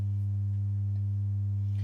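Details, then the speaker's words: Synth oscillator's sine output patched straight to the output through a passive mult and mirrored on an oscilloscope: a pure, steady low hum at one pitch with no distortion, though the scope shows a slight point at the top of the sine wave. "so the first thing I want to show you is that uh you shouldn't be hearing any Distortion at the moment it only happens um if I tune the oscillator sort of into these bad regions"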